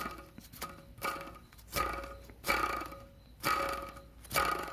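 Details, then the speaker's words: Worn idler pulley bearing removed from an engine and spun by hand, no engine running: gritty rasping swells with each spin, about once per second. This $2 bearing was misdiagnosed as rod knock, leading to an unnecessary engine swap. "imagine if that thing was attached to the engine running a whole lot faster with pressure from the pulley it would make making a mad amount of noise"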